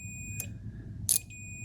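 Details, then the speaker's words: Relay module driven through a darlington array for microcontroller load switching, multimeter on the output terminal: a soft relay click, then a steady continuity beep as the contacts close. The channel is working. "so you can focus on the sound of the relay all right there we go so this is definitely working"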